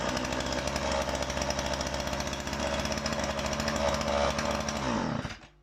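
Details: Husqvarna 137 (135 e-series) two-stroke chainsaw after restoration with new oiler, bar and chain: crisp, steady buzzing idle with even firing, then clean shut-off; healthy running.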